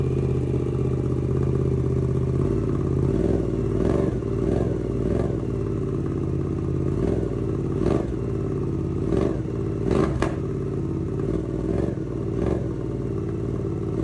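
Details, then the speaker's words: 2024 Suzuki GSX-8S first start after installing Delkevic 9" oval carbon full-system exhaust, baffle out, radiator drained: loud deep steady idle burble with a few light clatters on top; engine runs evenly, healthy. "I love that sound. This is what the baffle out, and it's got such a deeper, richer sound to it."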